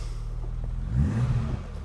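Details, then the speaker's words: 1985 BMW 635CSi E24, automatic transmission after 12 years sitting, trying reverse: engine flares freely in gear and drops back with no load or pull, transmission has "four neutrals" and is done for; automatic transmission not engaging. "yeah it's got It's got four neutrals that transmission is done for"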